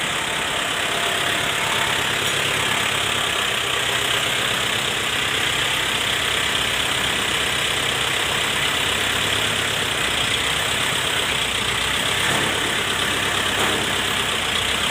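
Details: Shibaura SD4000A-D tractor after replacing the release bearing, clutch disc and pressure plate: a steady, even diesel idle with a constant hiss over the running engine and no knocks or misses. It sounds healthy.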